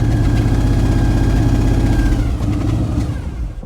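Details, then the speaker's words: Old carbureted car engine fired with brake cleaner after being starved of fuel, with a non-working accelerator pump: low, lumpy, uneven running about four pulses a second that stumbles and fades; missing, and old spark plugs suspected, not confirmed. "Yep. And there goes a fuel out of the bowls. She's missing."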